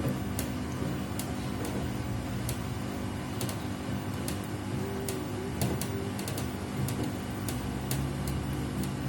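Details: Replacement Samsung WW75TA046TE/SP washing machine on its sixth day of use, noise louder each wash: low rumbling hum with scattered sharp clicks, abnormal running noise of unknown cause.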